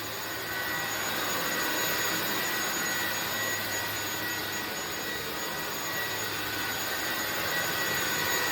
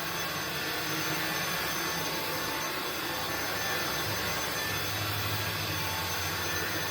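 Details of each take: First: INSE V120 cordless vacuum at 40% battery, set to medium: steady high-pitched motor hiss with clean whistle, no surging; running normally at medium, though it later drops power by itself. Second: INSE V120 cordless stick vacuum on medium power, battery around 40%, carpet cleaning: steady high motor whine drops to lower, softer pitch by itself with no input and no on-screen indication; third time it happened, cause unknown.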